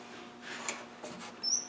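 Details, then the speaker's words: Land Rover 300Tdi turned over by hand with plugs out: single brief high-pitched chirp always at same spot near top dead center of one cylinder, not necessarily that cylinder's fault; squeak source being traced. "so it squeaks on top dead center on this cylinder but that doesn't necessarily mean that the problem is this cylinder but that's the position the cranks in"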